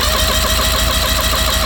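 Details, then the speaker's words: 1984 Mercury/Tracker 40 hp two-stroke outboard, about 30 years old, with a no-start complaint. Compression test while cranking gives a loud, even rhythm and steady starter drone. Cylinder 3 reads 110 PSI, about 15 PSI low, so the rings are slightly worn. "Yeah, 110. That one's, you know, 15 PSI off. That one's just a little low."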